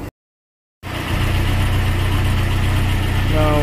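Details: 1996 Nissan Hardbody pickup, carbureted Z24 engine, restarted after a carburetor overhaul and sitting four years. Steady, even low rumble with no misses, knocks or hunting; it idles smoothly and healthily.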